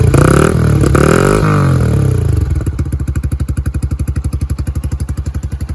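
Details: Yamaha YBR 125 single-cylinder started cold after a secondhand replacement part was fitted; crisp, even beat after a brief rev, settling to a steady four-per-second putter, no knocks or misses; running healthy.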